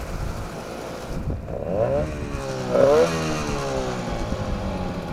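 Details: 9.8 outboard motor with a 'brake-like' whistle whose cause the owner is asking about. A high, thin squeal rises and falls in pitch with each rev, like dragging brakes: squeal under load, source unclear.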